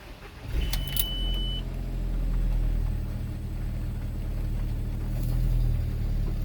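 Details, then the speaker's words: MK4 Golf/Jetta 1.8T GTI after fitting an uprated DeatschWerks DW65C fuel pump for high-rpm misfire: brief crank, fires straight up and settles into a smooth steady idle; clean healthy start. "sure does new fuel pump in fired straight up"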